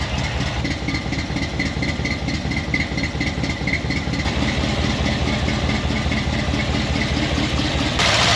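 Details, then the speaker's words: Chevy K10 squarebody V8 with new budget exhaust, dual-chamber Delta Flow mufflers and a collector gasket leak, first start: deep, uneven idle just over two beats per second with unsteady lope, then stalls on its own; needs tuning. "Definitely need to do a little tuning on this thing. I'm standing right here and it turned itself off, so probably not a good thing."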